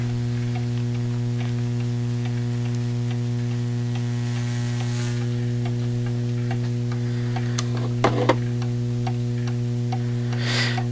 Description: Getting an even "tick-tock" while the clock runs is essential! This is called setting the beat.